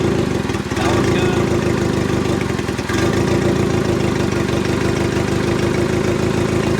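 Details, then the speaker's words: Turbo Vitara D16Y8/EJ8 Honda Civic at idle after a 3-bar MAP sensor install: rough idle with a steady stumble, one cylinder dead because its injector wire wasn't plugged in all the way; once seated it ran smoothly. "that not firing you see how it doesn't change sound so for some reason this one's not firing"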